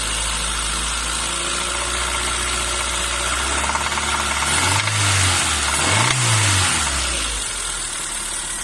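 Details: Renault Twingo 1 phase 2, engine cold: regular rattling tick over a rough hiss with a brief rev wobble; cold-start engine noise, cause unclear.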